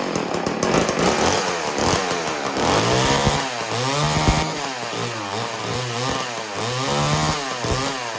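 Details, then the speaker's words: Homelite 150 Automatic chainsaw started on choke: strong two-stroke buzz with revs surging and settling, no knocks or rattles; everything runs good. "That's the Homelite. Homelite 150 automatic. Everything runs good."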